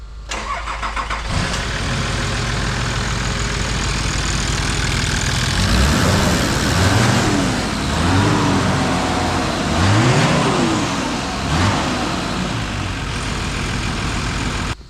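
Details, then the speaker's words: Nissan Patrol TD42 diesel that overheats on gradients and above 70 mph, running the stock fan on a flimsy fan clutch before an aftermarket fan swap. Cranks, catches and settles to a clattery idle with a few revs. Modest fan whoosh, possibly weak airflow. "So what we're gonna do now is I'm gonna start the truck up with the stock fan in it so you can hear it. The new fan should be way louder. It should be drawing way more air through that radiator system."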